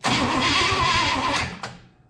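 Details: 1967 Chevrolet Impala, 283 V8, Powergilde automatic, sitting since 2005, mice-chewed wiring: starter spins engine at an even steady pace about a second and a half, never catches, winds down; crank no start, cause suspected, not confirmed.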